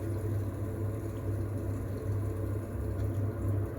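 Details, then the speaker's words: Potterton/Promax Combi HE Plus 28 boiler heating after repair of a faulty 3-way valve motor, temperature rising: low steady hum, soft even rumble, pump running, no knocking, kettling or surging; normal running. "Okay, so that sounds like the, so we have ignition, pump stepped in, watching the thermostat rise."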